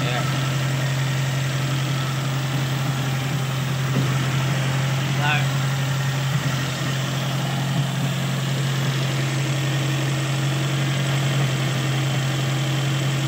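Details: Toyota SB engine now idling steady and even with a constant low drone, no misses or surging, after a vacuum leak from a hanging hose was fixed.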